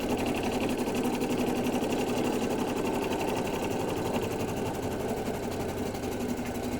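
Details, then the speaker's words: Brother 800e embroidery machine at full speed on a gnome hat, slowing and speeding up on its own for corners: a fast, steady, evenly spaced needle chatter with no grinding. Normal running. "But now you can see the machine is now operating at full speed. It will slow down on its own and speed up to deal with difficult bits or corners."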